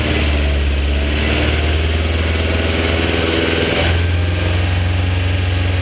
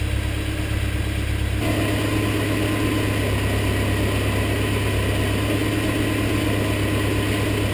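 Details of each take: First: BMW E30 with M42 engine idling with a fast light ticking and a slight pitch step, after sitting. Suspected stuck hydraulic lifters, being bled by running the engine; it sounds slightly better once warm. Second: BMW E30 with M42 four-cylinder, warm idle after running at medium-high revs to bleed hydraulic lifters that had been ticking after sitting: steady, even idle with a low hum and no lifter tick. It sounds better and healthy.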